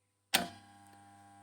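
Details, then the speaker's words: Motor starter after tightening the nut and refitting all three fuses: one sharp contactor clack on pull-in, then only a faint steady hum; the loud starter noise is gone. "शेतकरी मित्रांनो बघू शकता आपला पूर्णपणे starter आवाज द्यायचं बंद झालेला आहे"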